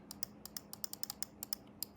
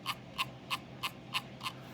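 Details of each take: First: Logitech G303 Shroud edition mouse, main buttons clicked: crisp, light, quick clicks, dry and not harsh, in a quiet room; normal, fairly quiet switches. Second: the scrolling on this Mouse um you can kind of hear it rattle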